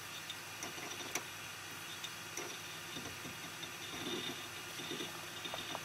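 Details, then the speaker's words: Budget quiet desktop PC (i5 quad-core, Arctic Freezer i30 cooler, low-RPM fans, sponge-lined CoolMaster case) booting Windows: faint irregular clicks and scratchy ticks from the hard drive seeking, the loudest component; normal disk read/write noise. "so so yeah as you can hear the most noisy guys the hdd this window is starting it's using a lot of read and write cycles"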